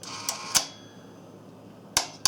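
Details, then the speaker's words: General Ionics water softener with Fleck 3210 timer and brass Ionics valve (installed 1996), after service, dial manually turned through rapid rinse and brine fill: sharp mechanical clicks in a quiet room ending with a crisp click as the timer seats home; normal. "Just continue to turn this white dot around until you hear it click back into the home position."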